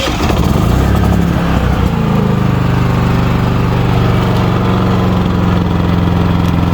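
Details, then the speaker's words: Westinghouse 4500 W dual fuel (gasoline/propane) portable inverter generator, electric start: starts and settles within two seconds into a steady, low, even quiet hum with no misses or surging; normal running. "It's really quiet, and for the price that it is, you can't go wrong with it."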